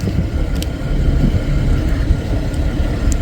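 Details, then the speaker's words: 2011 GMC Acadia idling after replacing a broken purge valve: steady low rumble with no burbling or stumble, even and settled; idling normally, previous constant burbling gone. "and before there was kind of a burbling sound all the time no more burbling sound"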